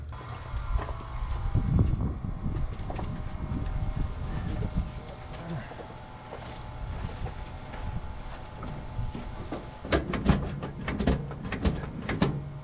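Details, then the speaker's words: 1972 Jeep CJ5 running after water pump replacement and radiator cleaning; irregular sharp clunks and faint ringing squeal; knocking was the alternator hitting the frame, squeal possibly a pulley scraping that went away; alternator knocking against frame. "that noise oh so the Knockin was the alternator hitting the frame"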